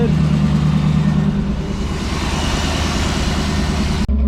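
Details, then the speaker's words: Lowered 1988 GMC Sierra 3500 after plugging in both fuel pumps, only one had been connected: deep, steady idle with an even low rumble and no misses or knocks; it now runs on its own fuel. "hell yeah boom got it going all right so once you wire in your fuel pumps it helps to have them both plugged in that's what it was"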